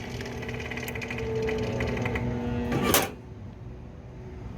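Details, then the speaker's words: Old Comfort Star R22 split system with refrigerant, not cooling: compressor hums and rattles couple of seconds, sharp clunk, falls quiet; runs briefly then locks up, seizing under load. "So that's not a good sound. Because you can hear it lock up. It's like it runs for a second."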